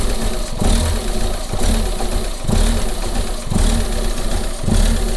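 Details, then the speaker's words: Same rough-running engine after replacing the intake pressure sensor: low idle rumble with a heavy, regular bang about once a second; the source of the banging can't be located. "so that's opening and closing so what do you think that banging noises so tell where that banging noise is coming from so really can't tell"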